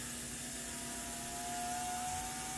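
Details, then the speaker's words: Mashima motor for an Athearn Genesis MP15 rebuild, run with voltage raised toward 12 V drawing 0.06 A: steady high whir with thin whistle rising slightly in pitch; the motor gets loud near 12 V. "head starts getting loud as we approach to 12 volts drawn 0.06"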